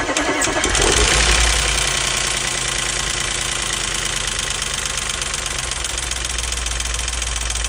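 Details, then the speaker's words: Auction-bought Audi S5 V8 with coolant in the oil and in the intake, likely needing a head gasket. After start, a fast light ticking of 3-4 per second over the idle; suspected dry lifters and a dry cam-driven high-pressure fuel pump slapping, not confirmed. "hearing sound very familiar like as if like the lifters was running dry and the high pressure fuel pump was running dry"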